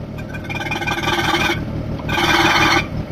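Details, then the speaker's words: 1996 Fiat Bravo engine swapped into a 2004 Fiat Stilo, first cold start with no coolant: ticking idle with cold lifter noise, and a harsh rasping whir each time the clutch pedal is pressed, fading on release; clutch-side noise. "It's making this noise. So this is the engine. It's cold, of course, that's why it's making a lifter noise, but when I press the clutch, that's terrible."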